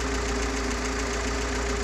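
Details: GAZ-69 with UMZ-421-variant gasoline engine after overhaul, Kostroma piston group, contactless ignition, original carburetor, fuel pump and old-style intake manifold: steady even idle, smooth low drone, no uneven beats; runs cleanly.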